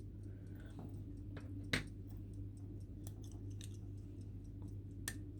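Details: Old family pocket watch, possibly silver, by a Shrewsbury watchmaker. Faint, quick, even ticks in a quiet room. The movement is ticking steadily and running normally.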